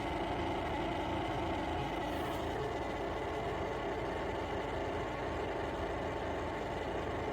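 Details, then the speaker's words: Yeedi M12 PRO+ robot vacuum's Mini Omni Station, newly bought and just plugged in: when switched on it makes a horrendous, constant rushing motor noise that never stops or cycles, running nonstop when it should stop. "Okay, so I just got this, plugged it in, and when I turn it on, it makes a horrendous noise, and it never stops."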